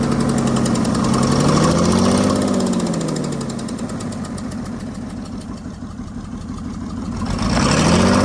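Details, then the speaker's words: 1996 Mercedes-Benz G300 with OM606 diesel, bought non-running, clatters at idle with a wandering, uneven beat that sags and recovers after a crank position code; glow plug error code present, EGR clogging intake runners noted; cause unconfirmed. "shut it off it is running a little rough I don't know what that means"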